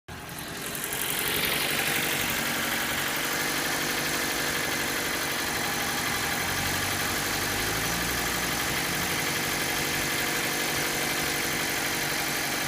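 Steady idle with an even rapid tapping, about four a second, riding over the engine note; a knock of unknown origin.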